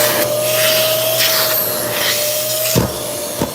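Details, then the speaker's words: Bosch vacuum cleaner running: steady whine with a thumping surge and drop as the circuit board senses the motor overworking and pulling more power; normal load-sensing motor control, not a fault. "When it feels like it's being um uh if let's say you picked up a cloud and the motor is overworking because it senses the the the circuit board can sense that the motor is pulling and pulling more and more power."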